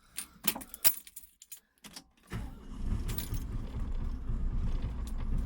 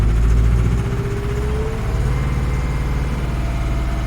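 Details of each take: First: 1988 Atlas 1404 M excavator diesel, just started after fuel system bleeding: lumpy, uneven beat under the clatter as if not all 4 cylinders fire at first; owner suspects fuel hadn't reached every injector, then it evens out. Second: 1988 Atlas 1404 M excavator diesel after bleeding the fuel system: at first not firing on all 4 cylinders, probably fuel not reaching all injectors, then a deep, steady idle at about four pulses a second with no misses.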